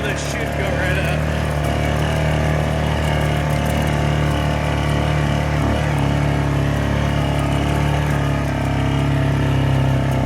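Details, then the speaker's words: Yamaha Grizzly 600 ATV revived after sitting upside down 25 ft underwater overnight, oil changed, new electrical: steady low thumping idle, even beat, no knocks or misses; engine running normally, considered fixed. "so I'm going to go ahead and say that this thing is fixed went from 25 ft underwater to running again so it's good"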